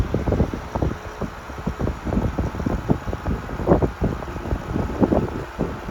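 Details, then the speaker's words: 1973 Frigid (Mitsubishi) 16-inch GT16-S oscillating fan, high speed: steady rush of air with gusty buffeting, no rattle or knocking; normal running, 1300 ft/min. "1300 feet per minute on high, which is pretty strong, I would say."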